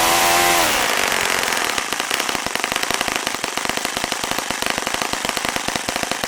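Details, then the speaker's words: Saito FA-65 four-stroke model engine dropping from full throttle to idle: high roar falling to fast, uneven, soft wet popping; idle mixture quite rich; fully closing throttle kills it, so throttle stop screw needs slight adjustment. "Bridget sounds right now here's the Archaean increased by it is quite rich let me check my full throttle here"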